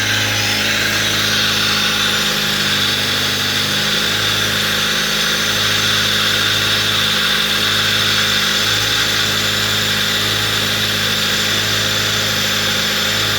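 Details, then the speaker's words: 1998 Fiat Palio with Fiasa engine, running with the alternator belt removed and the air filter off, causing louder intake hiss. Brief rev, then a steady even idle; normal, ruling out camshaft and water pump. "Aí, pessoal, ó, pode ver aí que tá com barulho normal, beleza? Tá com esse barulho mais alto porque tá sem o filtro de ar ali, faz esse barulho aí. Aí, ó, já normalizou a lenta."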